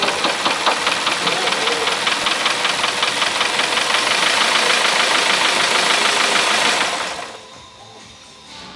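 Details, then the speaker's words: 1998 Honda CR-V 2.0 petrol, 466,000 km, engine slightly warm: deep regular knock from low in the engine at about two to three beats per second on startup, stopping as soon as the oil pressure light goes out; worn main bearing at the third journal. "Проблемка в автомобіля стук у двигуні і стук десь глибоко. Похоже, десь знизу."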